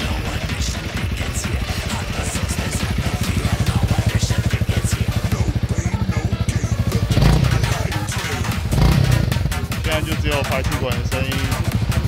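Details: Honda CRF300L after license plate gap was filled with foam tape and tightened to stop a rattle near 6,000 rpm; even, steady exhaust thump rising and falling smoothly with throttle, no tinny rattle; normal exhaust sound, plate vibration fixed.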